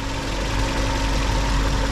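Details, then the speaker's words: Hyundai H1 G4KG engine, 365,453 km, being checked for blown head gasket: idle with light metallic rattle up top; timing chain suspected hitting worn-out guide, metal to metal. "sa taas yung chain sa chain baka ubos na rin yung ano ubos na rin yung guide nagme metal to metal na"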